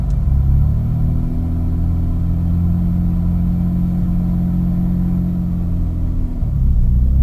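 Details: 2001 Mitsubishi Eclipse GT at cold start: uneven low rumbling idle that wavers and shudders, dipping near the end; rough cold-start idle that becomes normal once warmed up, cause not pinned down.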